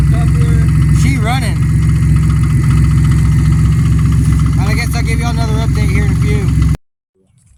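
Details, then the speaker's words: Supercharged 2002 Pontiac Grand Prix GTP, revived after sitting, with new coils, ICM, fuel pump and plugs. A light tick at three to four per second is heard at idle and vanishes when revved; a bad supercharger coupler is suspected, possibly the harmonic balancer. "it actually sounded really healthy and once it idled down and started making that ticking noise and soon as you rev it up though it completely goes away and that's that's really common with the uh the coupler and the supercharger going bad"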